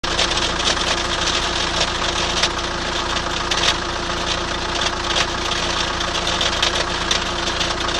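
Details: 2003 Chrysler Voyager 2.5 CRD diesel: loud, rough idle with a steady rattly knock buried in harsh clatter; engine knocking noise, cause unclear.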